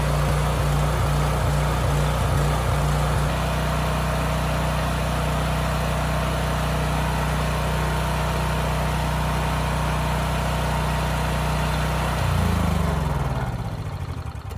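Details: Homelite generator with Mikuni carburetor after carburetor cleaning, speed set to about 61.5 Hz no load, then loaded to 3000 W: a constant, even pitch with no rise-and-fall surging. The governor holds speed steady and the hunting is gone.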